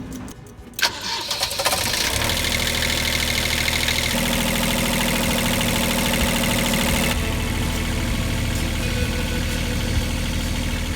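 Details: Old sailboat generator diesel, preheater ticking, throttle held by cable tie, during winterising: catches after a second of cranking and settles into a steady even idle with no misses or knocks; runs healthy.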